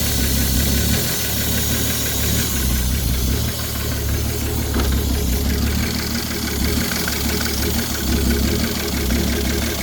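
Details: Ford 3.5 EcoBoost V6 from a Police Interceptor idles with a steady, deep knock beating through the engine note: connecting rod knock.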